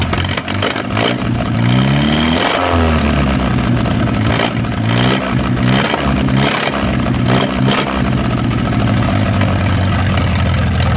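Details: 1937 Willys four-cylinder flathead (assumed) on a generator, sat in the woods 15–25 years, now running after fouled plugs were pulled and checked. It fires quickly and runs steadily, throttle blips rise and fall cleanly, no knocks or misses. Water pump is sticky.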